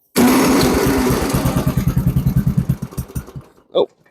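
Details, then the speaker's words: Snowblower with a replaced engine and an oil issue, started on choke after a few primer pumps: catches with a burst of firing, then the pulses slow and fade over two seconds until it dies; not primed enough. "not primed enough. But there we go. Yeah, it's not primed enough yet."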